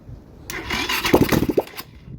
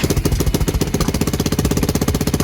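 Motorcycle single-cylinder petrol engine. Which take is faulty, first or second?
first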